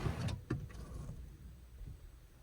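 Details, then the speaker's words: Land Rover Defender 110 with a BMW automatic conversion, ignition on, electric handbrake being applied: a short motor whirr with a clunk or two, then quiet. The electric parking brake engages normally. "I'll put the handbrake on I need the ignition on for that handbrake on"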